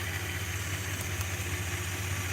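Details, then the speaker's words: Classic V8 idles with a slightly uneven beat during a plug-lead test. Spark is present, and putting the number one lead back on doesn't make it run better, pointing to a misfire. The owner suspects a bad negative battery cable is draining the battery. "do you notice though when i stick it back on number one it doesn't run any better doesn't run any better"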